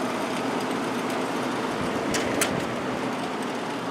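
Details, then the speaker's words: 1972 GE Slumberline 6,000 BTU window air conditioner with the fan only and the compressor not yet started. A steady, even rush of air with no rumble, ticking or scraping: the fan motor is running normally. "all right let's start off the fan we'll go to High plenty of air flow and there's"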